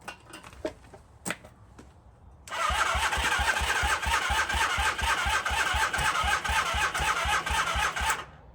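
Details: 1978 Honda CB400A Hondamatic that sat outside 10+ years: after clicks, the starter churns steadily about six seconds without catching, carburetors refitted and throttle cable broken.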